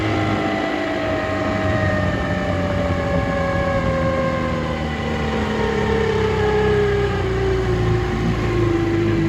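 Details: 1958 Gambles Hiawatha 10hp Scott Atwater antique outboard, restored, completely stock: steady drone with clear whine sliding lower as the motor slows; gear case whine, which was louder before restoration.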